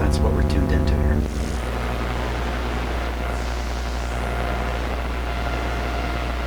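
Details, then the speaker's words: Sparton 1567 tube radio with 45 output tubes, power-supply filter altered to lower excessive B+ (now about 200 V at pin 3): a steady low hum under speaker hiss; slight mains hum, possibly present all along. "there was a bit of a hum there but it may have been there all along"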